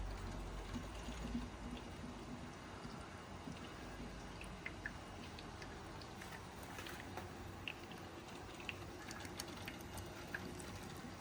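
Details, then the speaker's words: Smart 453 EQ electric car after repair, coolant pumps running: quiet pump hum with scattered gurgles and little pops as trapped air works through the coolant lines; system still bleeding air. "You can hear the coolant getting rid of all the air around the engine. Just wait until that noise has stopped and you should be good."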